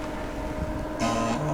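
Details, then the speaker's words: Amiga A1020 5.25-inch floppy drive after freeing stuck head mechanism, not yet lubricated, formatting a 440K disk: steady motor hum then buzzy stepping chatter as head moves back and forth; stepper motor fine, it was a lubrication issue. "look at that the little head's moving back and forth it was not doing that before stepper Motors fine it was a lubrication issue"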